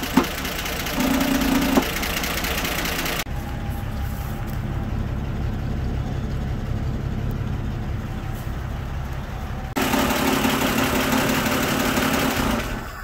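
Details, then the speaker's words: 1960 Grumman Olson Kurbside step van 235, first run since 1992, cold around 30s °F: after a few revs it settles to a steady, even idle with light clatter from the unbolted valve cover, no knocks; owner sees no issues. "So yeah, that's it. I don't think there's any issues."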